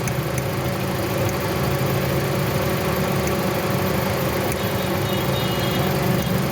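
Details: 2017 Toyota Corolla that broke down on the road, engine idling with a low, uneven hum and vibration, misfiring because one ignition coil is shorting; fix is replacing the coil.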